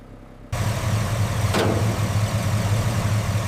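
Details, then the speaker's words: Chevy C10 V8 abandoned 20+ years in the Mojave desert, first start after carb cleaner and a spark plug check. It catches and settles into a steady, even low rumble with no misses or knocks: normal idle. "Listen to that V8. Let's give her a little gas to clear its throat. [laughter] I honestly cannot believe it. The engine sounds incredibly healthy."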